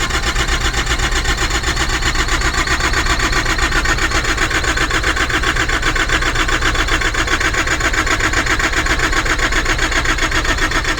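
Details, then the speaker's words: Truck refrigeration unit that won't start after battery charged, alarms cleared and fuel primed with the primer function: starter churns steadily about four strokes a second for eleven seconds, never catches; cranks but no start, left for mechanic. "So let's see what happens when she tries to crank up, tries to start. Come on, baby, you can do it. I have primed."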